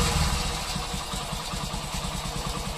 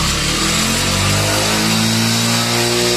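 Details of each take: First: Passion Pro single-cylinder bike after working on the accelerator cable: steady, even thump around twelve beats a second, no racing; normal idle, cable confirmed as cause, oiling advised. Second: Passion Pro single-cylinder bike, fault present for several days: right after start it holds a high, buzzy rev climbing on its own without throttle; tight accelerator cable holding throttle open, before cable fix.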